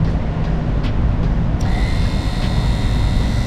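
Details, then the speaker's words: VW Bus wiper motor upgraded from 6-volt to 12-volt drop-in armature, bench-powered after fixing the armature hitting the body: steady electric whir without the earlier loud clicking, much quieter; running normally. "it works see the shaft turning on the back side I turn on the front side turning and it's a lot quieter now still has obviously a take it's still an electric motor but much quieter"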